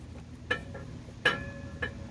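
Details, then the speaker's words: 2018 Ford Transit T-250, 3.7 NA V6, transmission reinstall: three light metallic clinks with a short ring while barring the engine over, normal sign the torque converter is fully seated, not pinched against the flex plate. "hear that clink clink when this thing goes back together you want to be able to hear that sound what that means is the torque converter is not being pinched up against the uh the flex plate which means your torque converter is all the way seated"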